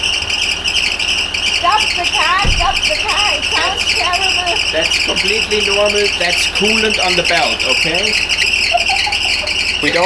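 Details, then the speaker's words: Land Rover Discovery 4, freshly rebuilt 3.0L SDV6 diesel on first start: loud constant belt shriek barely changing with revs, caused by coolant on the belt; severe diesel cooler leak found. "so the noise you hear is the coolant on the Belt okay"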